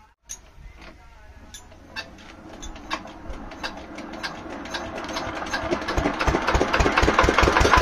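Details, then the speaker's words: Field Marshall 5 HP single-cylinder diesel, long unused, after tappet (valve clearance) setting with both valves free and gap correct: fires up and even thumping climbs steadily to speed, no knock or clatter; running well. "दोनों में gap जो है बेहतरीन है तो ऐसा कोई दिक्कत है नहीं इसमें बेहतरीन चल रहा है"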